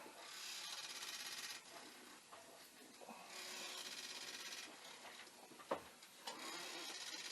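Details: Commodore 1541 disk drive (test drive's mechanism on the faulty drive's board and power supply) looping a read program; head cleaned earlier: uneven rapid rasping chatter about three per second with pauses; head knocking against its stop, failing to read.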